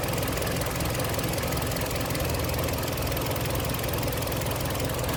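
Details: Warm engine idles steady with no metallic knock on a Kia Sportage 3 at 122,000 km, after service: oil changed Shell 5W30 to NGN 5W40, throttle and injectors cleaned, oil and air filters replaced. Dull metallic knock gone; timing chain replacement due in a week.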